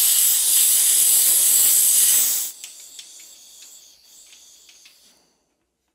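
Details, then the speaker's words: Sharp steady hiss cutting off abruptly, then faint ticking as it bleeds down: 37-year-old Airmaster air compressor tank leaking at the drain valve, suspected dodgy washer/O-ring or corrosion inside the tank, not confirmed. "that's working hissing a bit but the poor drain valve seems to just constantly leak and hiss but I mean to be fair that's probably just a dodgy washer"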